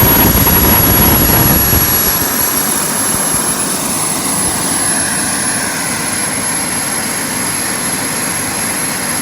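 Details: JetCentral model turboprop turbine on a test stand during its first start-up, temporarily fitted with a wrong-size test propeller: steady high whistle over an even rushing roar, no surging or rough patches; normal, healthy running.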